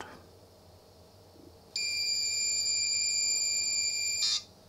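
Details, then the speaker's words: 1980s Sanyo Wavy 23 MSX2 (PHC-23J, Japanese 100 V) loading from its cassette recorder after a rewind: a steady, clean high-pitched data tone as the BLOAD loader reads properly, which is normal. "yeah now it works foam a b okay that's just a loader for B load binary load so probably this uh switch here was maybe in between modes"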